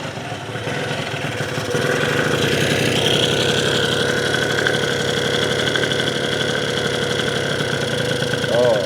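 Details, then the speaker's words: Yamaha Zuma (vertical Minarelli) first fire-up on a new Polini Evolution 70cc cylinder kit with lots of assembly lube: small two-stroke popping at a slow, slightly uneven idle that sits a bit low. "Oh, she wants to fire. All right, here we go. Little low on the idle, but that's okay."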